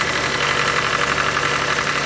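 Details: 2013 Chrysler 200 after cold snap, steady rough buzzing hum at idle over engine note from front; alternator and power steering pump bolted together, pulse sensor on stethoscope used; noisy alternator overrunning clutch pulley.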